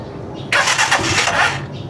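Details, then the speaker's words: Rusi Chariot 175 motorcycle, engine and muffler fully cold, first start of the day: short crank then catches cleanly into a steady even idle with no misses; idle neither high nor low, healthy. "Condition po ito guys. Wala pong palya-palya to. Yan. So malamig na malamig ang ating muffler."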